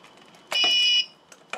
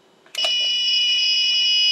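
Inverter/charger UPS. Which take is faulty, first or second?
second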